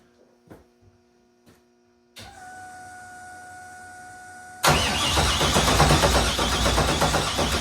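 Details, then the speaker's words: LS3 first start-up attempt: quiet clicks and a pump hum, then steady starter churning near three turns a second that never catches. Injectors and coils have no power; owner blames coil grounds bolted to the valley instead of the heads, plus a starter wire grounding itself. "I think my problem was I didn't have these grounds for the spark plug whatever units. Jesus Christ, losing my mind. I didn't have them grounded to the head, and I think that's really important."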